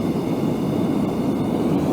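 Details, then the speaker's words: Gas forge burner adjusted with too much air: loud steady hissing jet roar with no pulsing or sputter, short flames, oxygen-rich lean environment hitting the workpiece. "too much it sounds like it's really loud sounds like a hairier jet taken off the flames really short but you have a ton of oxygen dumping and hitting your piece"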